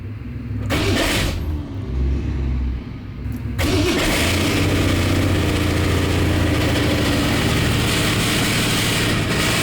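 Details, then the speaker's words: 1965 Mustang project car at cold start: cranks, catches and settles into a loud busy idle with a coarse rattle; seller reports a flywheel issue, suspected flywheel rubbing the transmission and going away when warm, unconfirmed; loud engine rattle at cold idle. "Turn that off. It's very loud. Alright, so Nick said that there was an issue with the flywheel. So I guess The flywheel's rubbing the trans or something."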